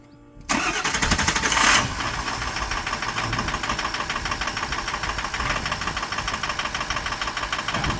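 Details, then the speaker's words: 2004 Ford 6.0 diesel, previously hard-starting and missing after an oil change with an improperly seated oil filter cap, now replaced. After the glow plugs warm, it cranks briefly and settles into a clean, even idle with no miss. "oh that's so much better yeah so it was definitely starving the high press oil pump and that was starving the injector so then it wasn't hitting right"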